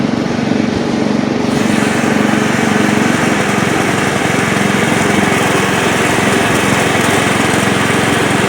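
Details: Old Montgomery Ward Power Kraft riding mower in gear with blade engaged and cutting: fast, even engine drone holds steady, no misses or knocks, though it stuttered earlier while driving; runs without an air filter; healthy running under load.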